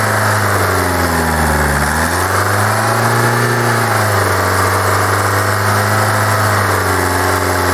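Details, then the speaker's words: Kia 2.0 CRDi Bosch common-rail diesel, hot, with a substitute known-good fuel metering valve fitted: revs wander at idle with a hard clatter still present; cause still unknown. "ah No Akuku Słuchajcie dopadła mnie jakaś klątwa drugi elektrozawór podstawiony który klepał tłuk się no kurczę Zaczyna się drugi tłuc iż teraz"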